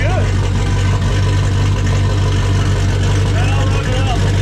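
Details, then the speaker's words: 1995 5.9L Magnum V8 in 1951 Dodge one-ton, fresh Comp Cams Xtreme Energy 20-746-9 cam, 60 lb injectors, turbo, hot, about 850 rpm: deep steady idle with slight cam chop, all eight cylinders firing evenly. "it's got a pretty good 850 yard again yeah it sounds pretty good"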